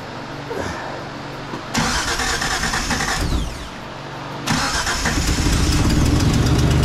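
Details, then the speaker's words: Neglected 1977 Datsun 280Z, first start after long storage on clean ethanol-free fuel with no coolant in it: cranking whirr, a stumble, then it catches and settles into a steady, even idle, showing the injectors aren't clogged. Normal engine start. "look at that look at that it's been too long because it don't have any coolant in it that's awesome so now I know my injectors are not stopped up"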